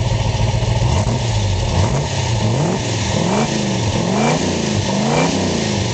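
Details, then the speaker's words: 1966 Ford Mustang K-code GT 4-speed Fastback, solid-lifter K-code V8: strong, even blips climbing cleanly and dropping back to idle without misses or rattles; healthy engine revving. "you will hear the difference in this motor if you haven't heard a k code motor solid lifters proper exhaust tone this car is super correct phenomenal condition"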